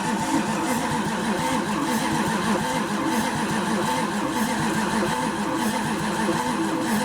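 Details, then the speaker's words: 1929 Chrysler fitted with a 360 LA V8, cranked on a battery boosted by a charger with no distributor fitted: even, rhythmic cranking at about three pulses per second, no dragging. Good compression and 35 psi oil pressure while cranking. "yeah it's turned it over good plenty good enough to start it"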